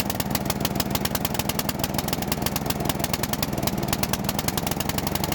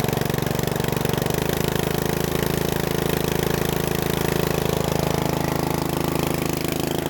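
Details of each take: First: Bolens riding mower, sat for years, after carburetor cleaning, choke off; single cylinder thumps fast and rough, uneven and sagging, bogging; a new carburetor is needed. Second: Bolens riding mower with a new carburetor, restarted after warming: steady, even thumping idle at about three beats a second that eases slightly lower. A healthy idle, though the idle screw needs slight adjustment.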